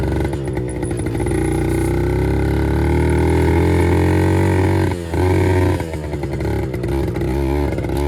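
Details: 1974 Kawasaki MC1 two-stroke revived by fitting a new spark plug after cleaning the old one failed; ring-ding pulling up through the revs with clean rising pitch and brief lift-off, no misfire or clatter. Normal running.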